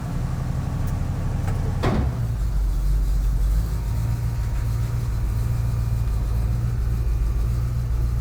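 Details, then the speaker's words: Cold start on choke with little smoke at startup: after one brief handling knock, a steady low rumble at an even idle; engine idling fine. "good girl sounds good I don't a lot of smoke on Startup choke seems to be working"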